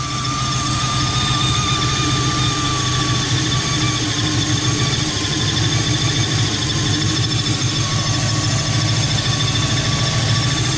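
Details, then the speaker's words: Cold engine, possibly a Camry, after the exhaust manifold gaskets were replaced. Steady idle with a constant high hiss and raspy, uneven chuffing. Suspected exhaust or vacuum leak, source not yet found. "It just sounds weird, like a very bad exhaust leak. Like, I hope you can hear that on camera. It just sounds like crazy exhaust. That sounds like a vacuum leak though."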